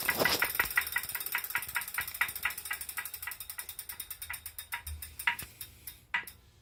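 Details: Brand new Wahoo Kickr trainer bought November 2018, out-of-the-box test ride: sharp regular clicks, about four or five a second, slowing as the flywheel winds down; knocking that follows rotation, cause unknown.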